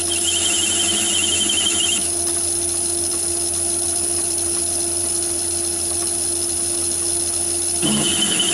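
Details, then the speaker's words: Myford ML7 lathe with 125mm chuck, heavy cut on aluminium about 50–60 thou: high pulsing squeal over steady motor whine, chatter believed from heavy chuck overhang, radial free-play and spindle thread movement. "and you can hear the vibration on that car that's about 50 to 60 cell car"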